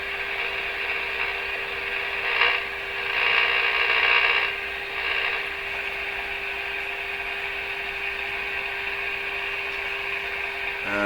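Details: Rogers 11RA651 shortwave radio during SW band alignment, tuned near 15.2 MHz on a moderately weak signal: steady rushing hiss over a faint hum that swells as the signal is tuned in; more receiver hiss than should be there.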